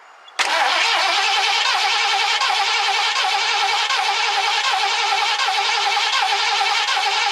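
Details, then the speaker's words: 1969 Ford Club Wagon with the engine fuel line disconnected to test fuel pumping: steady starter whir with even cranking and no firing; cranks but won't start. "don't want to burn the starter up [Applause] [Applause] if this doesn't work I'll probably burn in it"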